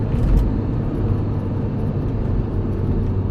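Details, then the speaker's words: 2007 Kia Sedona diesel, road test after repair of limp mode under load with codes P0087/P0088: steady low rumble with even road noise, no knocks or whine, pressure follows the pedal perfectly; pulls cleanly. "I'm going to press the pedal again and you're gonna see that it follows absolutely perfect"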